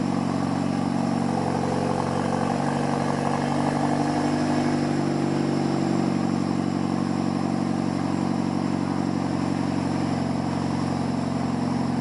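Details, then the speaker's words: Boosted Hyundai Genesis at idle after a major exhaust leak was fixed; a smooth, even drone with no ticking or puffing. The only exhaust leak left is the intentional one from the dump; it is far better than before. "Alright guys, so this sounds 10 times better than what it sounded like. I don't really hear any exhaust leaks except for the one that's on purpose, which would be from the dump."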